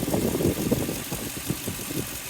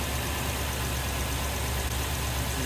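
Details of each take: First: 2003 Toyota Tundra 4.7 2UZ-FE V8 after timing belt and water pump replacement. A quiet idle carries a soft rhythmic wow-wow pulsing several times a second; the owner suspects a pulley, cause unconfirmed. No check engine light and no overheating. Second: 2003 Toyota Tundra 4.7 2UZ-FE V8 after snapped timing belt replaced, with water pump, oil cooler gasket and oil change: good oil pressure, steady even idle with no misses, ticks or knocks while bleeding coolant; normal idle.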